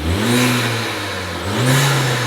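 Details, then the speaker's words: VW Golf with hybrid turbo, after fitting new actuator to fix no-boost issue: two rev blips with turbo whistle rising and falling cleanly; boost now building normally. "everything is in but check this out guys we have Boost"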